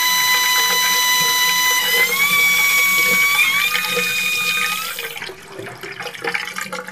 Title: Neznesiteľne pískajúca vodovodná batéria